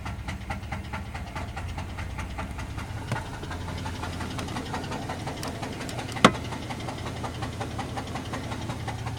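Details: 1998 GMC Jimmy 4.3 Vortec V6 at idle: a steady deep rod knock under the running note, louder on two brief revs; the engine was later replaced with another 4.3.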